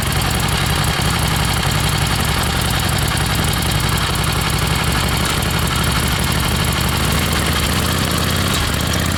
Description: 1976 XLCH Ironhead starts and idles fine but misfiring a lot when ridden